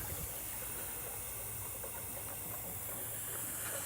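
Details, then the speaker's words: Astral 420 cartridge pool filter being opened for cleaning: a soft, steady hiss as the last air bleeds off and the tank, which is vacuum-sealing itself down, nears zero pressure. "Now again, it's still trying to let the air pressure off. If you try to pick up on it, it's going to be really hard because this is vacuum sealing itself down right now. So you've got to get the air off the system. Just about there."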